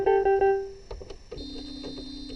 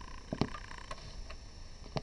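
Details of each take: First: Yamaha PSS-380/390 keyboard after repair with hot glue: clear, even notes with steady sustained tones, no crackle, dropouts or dead keys; playing normally. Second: Yamaha PSS-380/390 keyboard that won't turn on: dull pop at switch-on, then only faint hiss; the amplifier powers up but the keyboard does not, cause unknown, small fault or blown device.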